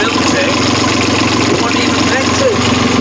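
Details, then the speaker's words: Catamaran diesel engine that stopped in a storm, running again after a wiring/connector fault was fixed: settles into a steady, even idle with constant rumble, no stumbling or knocking; normal idle. "so we got the engine working it was wiring and mom's always right"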